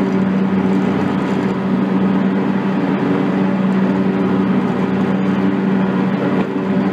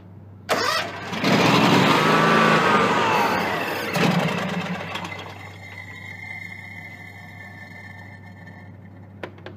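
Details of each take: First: John Deere X300 rider with Kawasaki FH-series engine, 17 hours, after fixing a no-start/runs-and-dies fault from a stuck fuel shutoff solenoid; steady, even drone at good throttle with no misses or surging as the clutch is engaged, running normally. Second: John Deere X300 rider, Kawasaki FH engine, 17 hours, brake cleaner in intake, hand over intake: starter spins briskly for a few seconds but never catches, then dies away; crank no start from stuck fuel shut-off solenoid.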